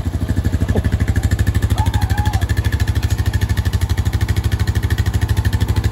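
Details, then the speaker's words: Honda 420 ATV single-cylinder engine idling after reassembly following a transmission failure, first start: even, steady low thump with no knocks or grinding, much less noisy than before; centrifugal clutch not hanging up, no smoke; normal idle. "it's gonna let it idle for a minute let everything gets oil pressure through US yeah it sounds perfect it's a lot less noisy than it was sounds good"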